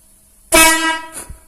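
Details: Air horn that had begun sounding weak, trumpet fed directly with shop compressed air to test it apart from its compressor: one loud, bright blast of about three quarters of a second, full and clear; trumpet works normally.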